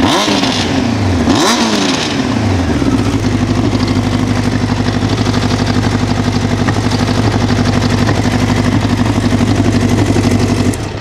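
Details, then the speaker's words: 1988 Honda CBR1000F Hurricane, recently serviced, quick rev then idle: light metallic clatter over an uneven beat, present only at idle and gone by about 2500 rpm. Cam chain noise, said to be mechanically not an issue. "so it's purely at idle when you're operating it it's not slapping around not doing anything unusual rather common for hondas to have some camp chain noise"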